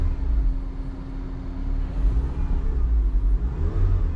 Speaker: As you can see, completely different. Vibration is gone.